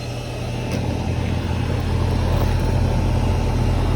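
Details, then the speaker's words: Hayward heat pump pool heater, installed a year earlier, after repair of a fan that wouldn't start: steady low hum from the compressor and fan, running normally. Ambient 75°F, discharge 58–59°F, set to 84–85°F, pool at 75°F. "We have a discharge temperature of 59, maybe 58 once it's done balancing itself out. So we have a very good delta T there."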